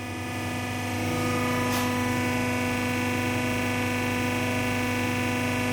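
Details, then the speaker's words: Toyota Hilux diesel injector on a test bench after replacing the worn valve seat (complaint: hard starting): idle test, even ticking about four per second under a steady pump drone, spray even, return fuel dripping slowly; normal. "dia hampir tidak terlihat karena di sini ada ya n jadi di sini terasa itu semburannya sangat bagus ini merata ya dan minyak kembalinya juga netes pelan"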